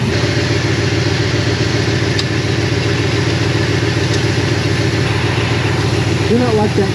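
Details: Classic Ford after adjusting distributor ignition timing: steady even idle with regular soft pulse, no misses, stumbles or knocks; engine healthy and settled.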